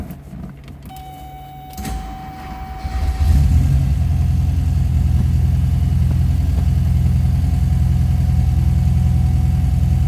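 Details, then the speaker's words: 1972 Porsche 914/4 with 5-speed manual, started from driver's seat: short crank then steady, even low burble around three and a half beats a second; smooth running, always starts right up, healthy idle. "Nice, smooth running cars. Always started right up. Whenever I fired it up or have moved it around."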